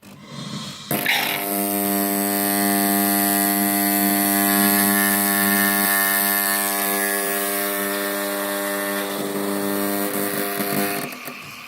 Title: Delonghi ECAM 28.465 makes a strange noise when the milk foam is on the process.